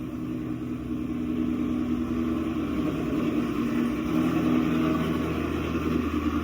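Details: 2016 Chevy Camaro SS 6.2L V8, almost 50k miles, remote started after factory GM thermostat replacement: deep steady idle with even beat, no ticks, knocks or hunting; healthy, fan turns off afterward confirming thermostat works.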